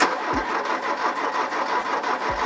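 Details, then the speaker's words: Abandoned Porsche 924 left 20 years in a field, after fuel supply head rebuild: sluggish, labored cranking with few compression pulses despite new battery and jump starter; starter believed gummed up and tired, won't turn over beyond 5–10 seconds. "that starter is getting so tired you can hear how slowly it's turning over we've got a brand new battery we've got quite a chunky jump starter and yet it can't even get it to turn over for longer than 5 or 10 seconds"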